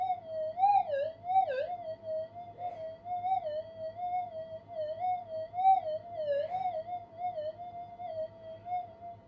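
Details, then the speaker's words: Minelab GPX 5000 metal detector upgraded with newly released parts, double-D coil, full gain, normal mode: warbling target tone rising and falling each sweep over steady mains hum; faint target partly masked by electrical interference/background chatter, a mono coil would give a stronger signal. "and we're disappearing in the noise up there a little bit. Still hear it though. And like using a mono, the signal will be so much more intense."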